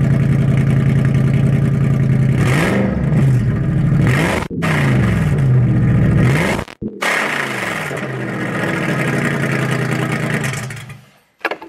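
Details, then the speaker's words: Owner's car (brought to mechanic after running with zero power): very loud, booming exhaust droning through revs with rising and falling pitch; packing was pulled out of one muffler, making the exhaust painfully loud. "what's going on with it is one of the exhaust the packing was pulled out the other side it was it so I didn't know if that would have a problem with it"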